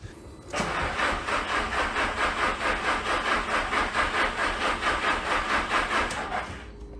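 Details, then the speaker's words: Audi TT sat five years, cranked with injectors unplugged to build oil pressure before starting: even starter cranking about two compression beats per second, steady with no catches or knocks; sounds as expected. "Sounds all right. Sounds how I'd expect it to sound."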